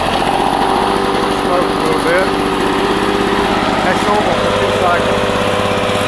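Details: 1984 Lawn Boy two-cycle push mower, found roadside, after a rebuild of its clogged carburetor and clogged exhaust: steady, even high-pitched buzz at constant speed, no misses or surging; running cleanly.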